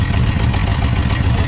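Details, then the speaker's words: Suzuki RF900 multi-cylinder idling during a water-on-exhaust test, where one header stays wet: low, lumpy idle with an uneven beat as one cylinder drops out. Misfire. "so this one is firing but that one is not firing"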